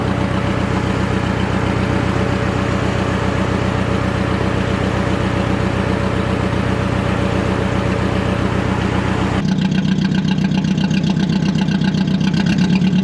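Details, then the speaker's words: Budget Mercedes-Benz project car first start after cleaning corroded terminals, no exhaust fitted: loud open-pipe idle with an uneven stumbling beat about four pulses a second, missing on a cylinder; bad coil pack. "why it's running like that he's got a Miss in it"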